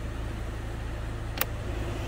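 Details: 2003 Peugeot 307 2.0 HDi 90 after heater blower resistor and burnt wiring harness repair: steady, even blower airflow hum over a smooth diesel idle, fan speed positions working, no rattle or cutting out; blower running normally.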